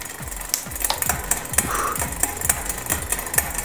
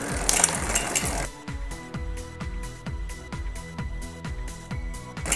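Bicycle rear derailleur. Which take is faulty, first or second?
first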